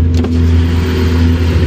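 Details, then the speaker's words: Peugeot 207 driven after the hanging rear silencer was cut off, no muffler fitted: loud, deep booming drone with strong low rumble at steady revs, raw sound of exhaust without its silencer. "Pov, t'es dans le 207 Roland Gamos et tu n'as plus de silencieux."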